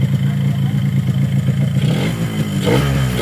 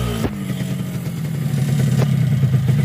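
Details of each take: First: Yamaha RX-King two-stroke after block rebore, test: revving with dry rattling clatter, piston still loose in bore; planned fix boiling piston in oil to expand it, likely cylinder honed too loose — piston slap. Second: Yamaha RX-King two-stroke, newly bought but sounding very rough, after a newly bored block, connecting rod replaced and engine reassembled: even, steady, smooth low burble with no knocking or rattle; rebuilt engine runs healthy.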